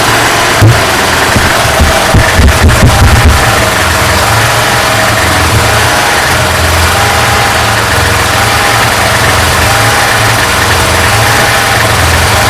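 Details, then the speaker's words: Troy-Bilt rototiller with a 5hp Tecumseh engine, running and nearly out of gas: a few clunks, then the single-cylinder settles into a steady, even buzz with no stumbling; running properly. "and that's on the troy bill the kamsa five horse really really sounds good doing a good job for me it's about to run out of gas"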